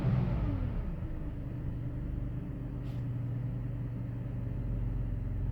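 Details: 2005 BMW 530i petrol engine after replacing the idle control valve to cure rough idle: drops from a brief higher speed to a steady, even, low idle.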